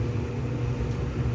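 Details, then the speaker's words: Whirlpool stackable dryer W330SQ2 after drum support roller replacement: steady even low hum from turning drum, no thumping, squeal or scraping; sounds much better. "all hooked up and ready to test out sounds much better"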